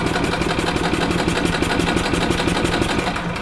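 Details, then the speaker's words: 1996 Yamaha G14 gas golf cart that won't start after sitting over winter, fuel line off the carburetor: an even cranking chug about three beats a second that never catches; the fuel pump isn't pulling fuel. "so there's our problem we're not getting fuel it's not even pulling"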